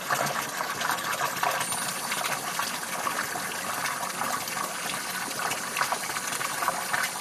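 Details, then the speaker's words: Two-zone hot water baseboard heating system being bled through hose at drain valve: irregular spitting and gurgling as air and water burst out in uneven spurts; lots of trapped air in loop. "and you can hear the the air coming out yeah wow wow is there ever air in here look at that that's all air coming out of"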